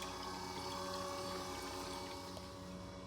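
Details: 1966 Pontiac GTO street test of the new radiator cooling system: steady, even pump hum with water rushing through the lines, hoses vibrating, no surging or knocking; coolant circulating normally.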